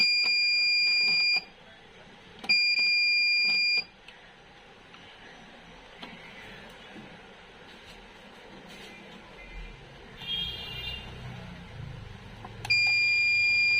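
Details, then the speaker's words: V-Guard Jadoo 1050 inverter humming/alarm fault: shrill steady beeps about 1.5 s long with gaps; gate voltage readings point to faulty gate driver IC, to be replaced. "तो gate में problem सबसे पहले हम लोग इसका जो gate आसी है उसको बदल लेते हैं"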